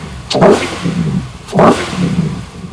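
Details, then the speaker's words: LS engine on ACES Jackpot 2 drive-by-wire EFI, just started, quick throttle snaps: two sharp revs each with a short crack as the throttle opens; lean pop on acceleration, could probably use more acceleration enrichment. "All right. It did give us a little lean pop so I could probably add more in acceleration enrichment."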